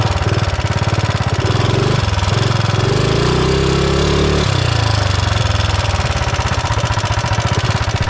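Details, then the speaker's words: Mega Moto minibike with swapped-in 420cc single-cylinder engine, on test ride: hard pulses rising with throttle with a nasty knock under load; owner suspects it is in the block, not confirmed. "so I don't know if you could hear it in the GoPro but this thing has a nasty knock and it sounds like it's in the block"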